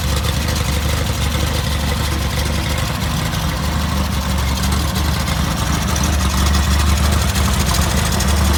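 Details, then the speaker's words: Rebuilt VW Type 1 1776cc flat-four (Engle 100 cam, 90.5mm pistons) first bench start, after suspected worn starter bushing on 6V/12V bellhousing: loud, steady deep drone with fast even beat, no knocks or rattles; sounds good. "sounds good"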